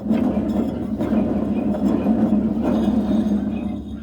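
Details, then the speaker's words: Troy-Bilt Super Bronco mower deck: turning the center spindle by hand gives a rough, gritty grinding from a worn spindle bearing that can't be greased; another spindle makes some noise but not enough to replace. "so that one's making some noise i wouldn't worry about changing that one but this center one is grinding like it's got coffee to do"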